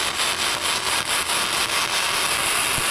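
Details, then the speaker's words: ARCCAPTAIN MIG130 gasless MIG long weld: crackle whose oscillation levels out into an even, steady sizzle without popping or spatter bursts, the sound of a properly running weld. "When that oscillation levels out, that's what you're wanting to listen to."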